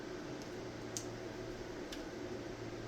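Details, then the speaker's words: Rotary tattoo pen running at 7 volts: barely audible steady faint hum with no rattle, quieter than a noisier Wormhole pen; quiet, smooth normal running. "This one here is pretty quiet. That's what I like. It means that it's either running slower and smoother."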